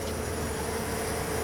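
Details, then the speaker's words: Car exhaust after a broken-loose bracket near the tailpipe bend, which had caused a rattle, was repaired with J B Weld High Heat epoxy and cured 12 hours; on a test drive a steady drone with no rattle, bracket fixed. "And I don't hear anything, so I'm going to say that that bracket is fixed."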